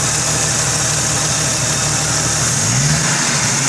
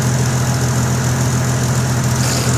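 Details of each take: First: 1998 Jeep Cherokee XJ 4.0 inline-six with ported 7120 head, ported intake, Banks header, electric fan running: smooth steady idle under loud fan hiss, brief rev blip settling cleanly; normal idle. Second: 1998 Jeep XJ 4.0 six-cylinder with ported 7120 head and ported intake, MagnaFlow muffler, idling: raspy puffing exhaust leak from a crack in the exhaust; owner plans full 2.5-inch exhaust from collector back.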